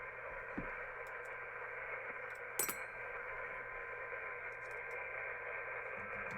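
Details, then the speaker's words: uBitx transceiver with Nextion touch screen running CEC firmware, on 40 meters: steady hiss and muffled program audio bleeding through; receiver indiscriminately picks up the AM broadcast band from nearby high-powered AM stations. "So the problem is it's picking up the AM broadcast band. That's what our problem is."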